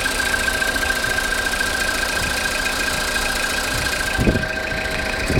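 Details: Cold-start engine knock after sitting overnight: an irregular knocking under the idle noise. It gets quieter when revved and disappears after 10 minutes of warm-up or 2–3 minutes of driving. Cause unknown.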